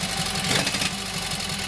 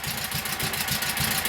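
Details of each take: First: Kohler KT17 twin, first start after governor rebuild: settles into even idle, steady beat with slight speed waver. Oil pressure 50, governor pulls throttle back, timing good; carburetor high/low needs fine tuning. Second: Kohler KT17 twin on first start, oil pressure 50; both cylinders running at fast idle but one drops a pulse now and then, an occasional miss; cause unconfirmed.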